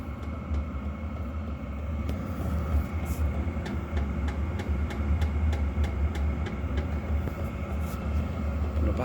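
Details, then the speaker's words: Diesel heater fuel pump in a van: sharp regular ticks about twice a second over a low rumble, transmitted loudly through its mount; removing the side screws and raising the pump a couple of millimetres makes it much quieter, holes to be re-drilled. "tick and sound of the pump is so annoying however taking all the side screws out and raise it up by a couple of mil stops popping back down"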